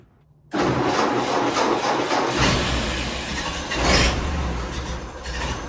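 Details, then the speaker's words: 1931 Ford Model A pickup after spark plug change: engine catches and runs lumpy and uneven at idle, still on three cylinders; third plug later found not fully seated, with distributor cap and rotor also suspected. "still running on three cylinders"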